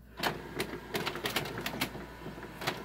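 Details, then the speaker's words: Canon MF733Cdw laser printer on Canon starter cartridges, idle and waiting to print: sharp, uneven clicking from inside, about ten clicks in three seconds. Prints come out with missing lines; source of the clicks not pinned down. "So it clicks and it prints out weird. It's like missing lines or things like that."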